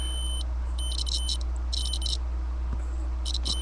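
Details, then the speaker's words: Datsun 280Z ignition switch tested with the key in Run, after intermittent starter clicking and ECU resets causing rich running: continuity tester beep cuts in and out irregularly, showing worn, trashed ignition switch contacts. "whatever the contact in there is in there it's completely just trashed so hopefully this will fix the problem"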